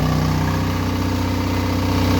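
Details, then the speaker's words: Onan DJB-MS two-cylinder diesel fitted with a 12 kW generator, running with no load during a fuel test, about 17.5 minutes in and 7.5 oz used. It runs with a smooth, even low chug and no knocks or misses; oil pressure is good, though a minor rattle is noted. "Again. No load. Everything running good. Oil pressure still good."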